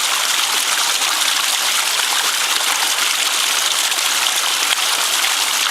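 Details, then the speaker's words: Ram pump with a low creek: steady rushing, gurgling water with no hammer beat building, because air in the penstock (drive pipe) compresses instead of letting the water hammer, so no pressure forms; left to charge so bubbles escape backwards. "That gurgle, that means there's air in the penstock. Air in the penstock is no good. Get air in the penstock, you have no pressure, because the air just compresses in there instead of the water hammering."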